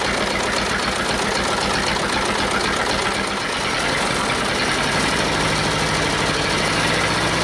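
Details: Detroit Diesel two-stroke in a cheap, long-sat dozer (one cylinder was full of water) runs on only 2 of 4 cylinders; compression 150 (or possibly 122), 90, 0, 0. Lumpy, limping idle with missing firing pulses; two cylinders dead, possibly from stuck valves.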